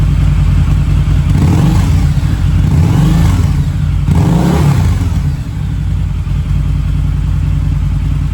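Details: Harley V-Rod with about 16,000 miles, warmed up after its first start in at least 4 years: two clean throttle blips falling back to a steady, even V-twin idle, and the smoke has nearly stopped. Normal revving.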